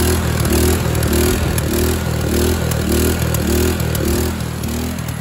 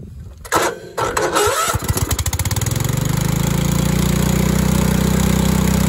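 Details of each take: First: Craftsman LT2000 lawn tractor with Kohler Command engine and replacement used carburetor: engine races at a high, hunting, surging speed well above its set speed; governor arm not yet adjusted and suspected. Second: Craftsman LT2000 tractor with Kohler Command engine after governor arm adjustment: stumbles a couple of seconds, then settles into a steady even run with no hunting; carburetor still needs adjusting. Steady running engine.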